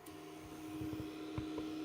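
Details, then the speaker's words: BIQU Hurakan bed-slinger 3D printer running Klipper: steady low buzz at one pitch while the head moves on the X axis, small clicks at direction changes; abnormal X-axis buzzing. "still noisy that was such a weird buzzing noise can everyone else hear that or is it just me that X just makes a weird Buzzy sound"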